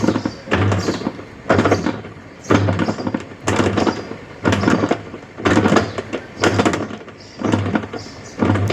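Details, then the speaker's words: Sharp ES-818X 8.0 kg fully automatic washer, empty tub, no load: rough groaning bursts with each agitator stroke, about one a second, during wash agitation; spin and draining work fine, owner reports strange noise only while washing; gearbox noise. "Time dia spin okey tak ada masalah. Air boleh buang semua tak ada masalah. Tapi time basuh dia ada bunyi pelik."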